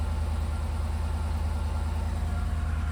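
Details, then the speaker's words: 2014-2018 GMC Sierra 1500 V8 at idle with code P305 (cylinder 5 misfire), flashing check engine and traction control lights: steady stumble of two to three lumps a second; misfire from a failed ignition coil. "And you're going to get a flashing check engine light showing you that one of your ignition coils has gone out."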